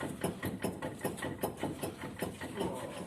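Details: Nissan Pathfinder, wheel turned by hand: dull, regular knock two or three times a second; rear hub bearing knocking, front hub bearing noisy.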